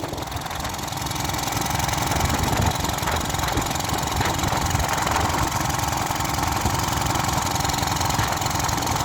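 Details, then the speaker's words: Small pressure washer engine being deliberately fed a can of the wrong fuel into its tank: a clattery, loping, diesel-like beat that rises and sags irregularly as it struggles; rough running on the wrong fuel. "It sounds like a diesel. It runs on hopes, dreams, and prayers. And as much this shit as I can dump down its fuel tank."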